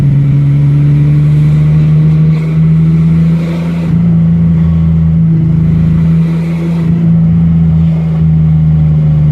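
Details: Ford Ranger engine running with an uneven, stumbling misfire; the problem persists despite a long list of parts changed.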